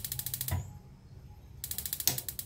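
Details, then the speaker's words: Modena LPG gas water heater after replacing the failed solenoid valve. Before, the igniter sparked but there was no valve click and the heater wouldn't heat. Now rapid, even igniter ticking with a distinct valve click: normal spark and gas valve operation. "sebelumnya nggak ada suara tersebut, sekarang oke. Itu menandakan bahwa dia sudah berfungsi ya."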